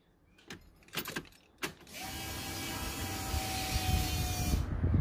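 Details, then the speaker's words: Nissan D40 Navara after a V8 engine swap, first start attempt: a few clicks, then the fuel pump's steady high whir with air coming through as the engine cranks over; fuel pump working. "fuel pump works you can hear the air coming through that"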